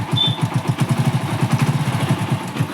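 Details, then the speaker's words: Hero Splendor Pro (old model, 100cc) after repairing a timing chain noise that appeared once warm: even low thump at about five beats a second with no rattle or ticking; timing noise gone, normal idle. "अब गाड़ी की जो timing की आवाज आ रही थी वह नहीं आ रही"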